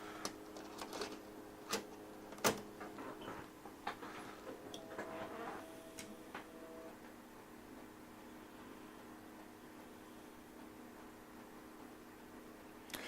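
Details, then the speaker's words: HP 1652B logic analyzer floppy drive reading a copy of the original boot disk after self-test: burst of irregular clicks and head seeks over a steady electronic hum, then settles; normal disk read. "now this is a copy of the the boot disk that came with the equipment so we'll pop that in and give it a go"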